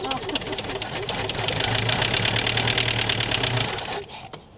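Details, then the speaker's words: Chrysler Galant 1600 wagon, sitting about 30 years, first start: rough, fast clatter of even knocks, about three per second, over a ragged idle, with blow-by; unsure if loose tappet or knock. Engine knocking. "Sounds like an old diesel, doesn't it? Knocking."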